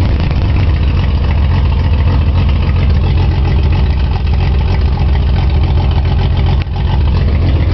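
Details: Nissan 280Z with a bad fuel injector stuck open: loud, low, uneven idle with a lumpy, unsteady beat, consistent with one cylinder flooding; rough running from the stuck-open injector.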